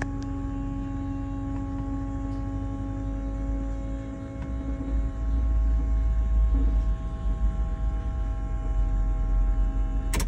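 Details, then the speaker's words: Chevrolet Silverado diesel, key on after replacing all injector lines: electric lift pump hum with fixed whine, drone turns heavier as diesel arrives; normal priming, owner considers a check valve as sound changes. "vou até prestar atenção em barulho ó deu para ver que tá tipo chegando diesel ó pesou tipo assim pesou porque chegou diesel"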